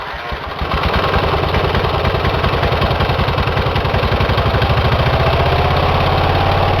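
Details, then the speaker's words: Engine run on its own power with one cylinder head removed, after a damage check following oil in that cylinder: rough, lopey low chugging, one cylinder firing while the open side puffs. No damage found. "I'm getting ready to fire this engine up on one cylinder with the head off this side and everything seems to be operating pretty good"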